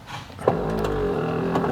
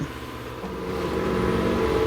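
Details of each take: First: 2001 Buick LeSabre rear power window: the motor hums and turns under strain with a rough crunching but the glass barely moves; the motor is probably okay, and the jammed regulator needs replacing. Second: 2001 Buick LeSabre rear power window, glass reseated in the clamps: a steady motor hum as it travels smoothly upward, with no grinding, clicking or stalling; normal operation.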